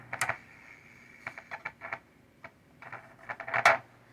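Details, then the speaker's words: 1962 Gibson GA-5T Skylark amp with a Jensen speaker: irregular crackles and sharp pops come and go as an original, untouched coupling capacitor is moved; intermittent static crackle, capacitor suspected. "this is one of the uh components that was uh that i didn't change or touch it was in here the whole time as you can see as i mess with it i don't know if you can hear that but we're getting static"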